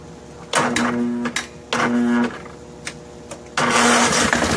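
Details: Snapper SR1433 rear-engine rider, sat 8 years, helped with starter spray, gravity-feed fuel: catches in short bursts, runs a second, dies and restarts; carburetor not getting fuel, bowl later found holding smelly green fuel.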